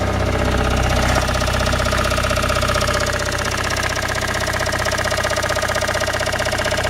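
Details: Toyota Raum 5E-FE engine after rebuild, idling: a regular tapping knock about three per second rides evenly over the engine note; source unclear.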